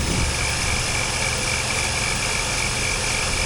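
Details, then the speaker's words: 2000 Pontiac Firebird, 3.8L V6 with 4L60E transmission, a donor car at 164,029 on the reading, idling with the hood open before a test drive: a steady, even hum with a smooth low rumble and no knocks or misses. Pretty quiet, normal idle. "Oh, let's listen to the motor first. Pretty quiet."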